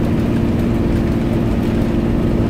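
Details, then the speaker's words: Cummins ISB diesel on a road test of its exhaust/engine brake, worked by the VGT variable-geometry turbo. Slowing in city traffic to 16 km/h without the service brake. Deep, steady diesel drone, even low roar. Engine brake working normally. "that is a perfectly running sorry engine break the vgt variable-geometry turbocharger does all work"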